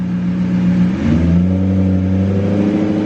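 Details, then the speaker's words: BMW E34 540i with newly installed replacement ZF transmission, on a lift after the old failed ZF whined badly; shifted into gear, engine and drivetrain settle to a steady lower hum with no gear whine and no exhaust leak, a quiet healthy gearbox. "oh yes no no noise oh my gosh i am so so happy right now"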